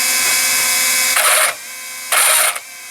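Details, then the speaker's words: Traxxas RC car on the bench after a spur gear install, gear plate off, tested on battery: two short bursts give a harsh, high, gritty gear whine; spur gear mesh against the pinion too tight and needs loosening. "I can already tell that it's not quite where it needs to be."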